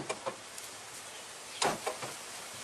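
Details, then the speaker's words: Toyota Previa/Estima/Tarago TCR10 central-locking door actuator bench-tested by shorting its outer wires per the workshop manual: two sharp clunks, lock then unlock, so the actuator works. "You've got the white with black trace, that's your earth, and if you short the 2 on the outside or 2 on the opposite side, what you get is unlock and lock."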